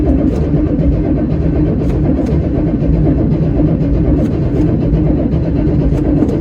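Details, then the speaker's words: 1979 Chevy Suburban 8-door shuttle, cranking, 30 psi oil pressure building: even steady cranking with no firing or catch; no fuel seen in the fuel filter, crank-no-start from no fuel delivery. "See if we got any fuel in our filter. I don't see any fuel in our fuel filter there. There's probably some method of priming this."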